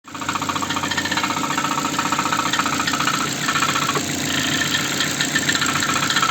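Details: Ford engine at a steady idle with a sharp, irregular tapping over it, roughly three to four taps a second: an engine knock whose cause is not yet pinned down.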